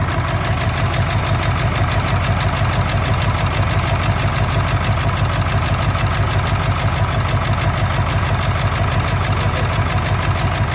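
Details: 1999 Ford F-350 7.3 Powerstroke diesel at idle, still running rough: deep lope about twice a second, one cylinder dropping out; injectors unplugged and oil outlets checked, one showing no oil; owner suspects an injector, harness to be ohmed.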